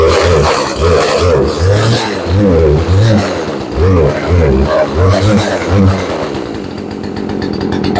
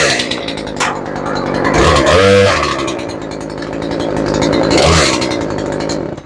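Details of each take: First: Craftsman chainsaw, previously not starting, on full choke early morning: engine surges and sags unevenly, bogging instead of holding steady revs; carburetor needs a tune-up. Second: 18-inch Craftsman chainsaw, previously would not start, after repair: crisp two-stroke buzz revs up and settles back twice, picking up cleanly without stumbling or bogging; saw running healthy.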